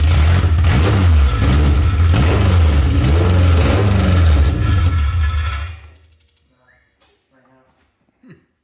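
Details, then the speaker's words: K24-swapped Toyota MR2 with a new fuel pump: the engine catches, runs rough about five seconds, then dies. Two corroded pump wires were cleaned but reinstalled crossed, so the pump ran backwards; a gummed-up injector was also suspected. "when I put two of them back I crossed them and the fuel pump is running backwards so we've got those turned around"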